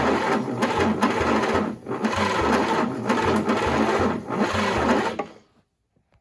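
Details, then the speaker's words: 1940s GMC 270 engine, unrun 20+ years, fed chainsaw mix gas: starter churns steadily with odd weak exhaust puffs, compression felt, never catches; crank-no-start, timing possibly 180° off, starter getting warm. "it sounds like she's hitting i can hear exhaust puffing out a little bit and i feel compression over the carburetor when i was trying to choke it by hand there"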